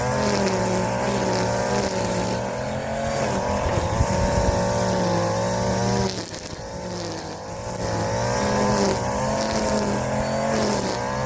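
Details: Warm Stihl FS 56 RC trimmer, almost new, after it ran two tanks of 20:1 mix instead of 50:1 and had its muffler screen and spark plug cleaned: steady high two-stroke buzz at even speed, no stumbling or cutting out; running cleanly.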